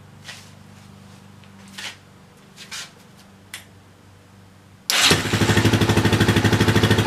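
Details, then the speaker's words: Yamaha 660 single-cylinder after further carburetor rejetting, revving in neutral on fuel left in the carb, tank not connected: even fast thump with the odd small exhaust pop, little black smoke; still a little poppy but acceptable. "Okay, well, I kind of like that. It's still a little poppy, but not too bad. No black smoke coming out of it, at least not very much."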